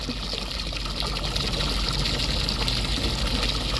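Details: Marine air conditioner raw water pump on the Hummingbird trawler, after work to clear a clog, now gives a steady, strong splashing flow over a low pump hum; the flow is normal.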